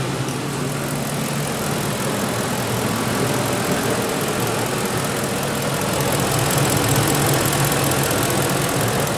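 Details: 2004 Ford F150 with a 5.4 3V Triton V8 at 104,000 miles, after both cam phasers were replaced with original Ford parts: smooth, quiet idle with only a light injector tick. Before the repair it sounded like a diesel, and new VCT valves alone hadn't helped.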